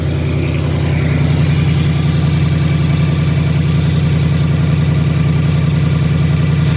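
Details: 2018 Ford Mustang GT gen 3 Coyote V8, brand-new on dealer lot: steady idle with a fast, fairly even light tick on top, about two a second; top-end engine tick, owner believes normal, cause unconfirmed.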